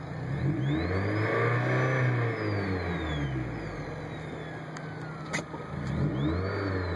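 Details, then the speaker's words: Dual XHD7714 head unit in a car at a stoplight: a thin high alternator whine through the audio rises and falls with each engine rev; the owner also calls it supercharger whine and rules out the install. "Piece of shit, don't buy it. Alternator whine like a motherfucker. Listen."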